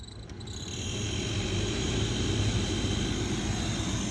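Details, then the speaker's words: Sprinter van blower motor giving steady fan rush with a thin high-pitched chirping squeal; owner says it gets much worse: failing blower motor. "and now it was making all kinds of screeching noise and all kinds of noises so I figured okay I'm going to pull my Amazon one out replace it"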